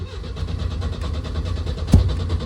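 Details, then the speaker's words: Race car with the fuel pump priming: steady rhythmic cranking with occasional weak coughs, but it never catches. A loose ground wire was found. "well it sounds like it's trying to fire we'll have to uh have to investigate and figure that out"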